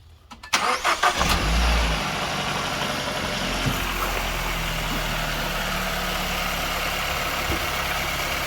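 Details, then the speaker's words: KIA Sportage 1.6 petrol T-GDI started after an oil change and refill with a new sump plug crush washer; brief crank, catches cleanly, settles into a smooth even idle with no knocks or ticks, no leaks. "Sounds good, and there are no leaks."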